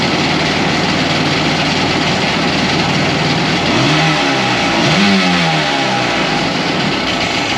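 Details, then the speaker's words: 2001 Polaris Virage 700 jet ski twin, first start: ragged lumpy idle with a brief blip; one cylinder has good compression, the other almost none, a dead cylinder. "this cylinder right here has amazing compression that's awesome but this one doesn't this one has like no compression so we have a dead cylinder"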